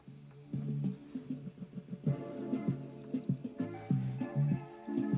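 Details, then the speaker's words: Panasonic SG-X10 stereo system cassette deck playing a test tape: music warbles and smears in uneven wobbling bursts; the rusty capstan is chewing and punching holes in the tape. "That sounds awful, and I think it's chewing up the tape somewhere."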